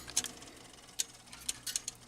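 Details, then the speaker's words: Rock-Ola 496 jukebox with a burnt power supply: sharp, irregular dry ticks, about seven in two seconds, from a relay at the bottom. It chatters as power cycles on and off, with lights jittery too. "okay so you're hearing down here in the bottom like a ticking tick that sounds like that same freaking relay that we messed within the 49 the 494 that we were me or the 490 that we were messing with Joe"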